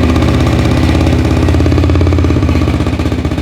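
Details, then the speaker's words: Four-wheeler single-cylinder first started after a full top-end rebuild and a timing chain fitted by guesswork; fast uneven ticking about four a second over the idle thump, a light top-end tick the owner suspects is a valve. "I hear a little bit of a sticking. To me, that sounds like the valve."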